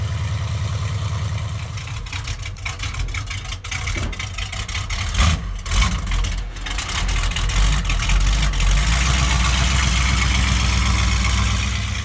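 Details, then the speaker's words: 1969 Plymouth Road Runner, 440 V8 in an originally 383 car, 727 automatic, rebuilt carburetor, new exhaust; cranked right up after sitting days on the delivery trailer: deep, steady V8 lope, even pulses, no ticking or knocking, some handling noise; runs really good. "So runs really good."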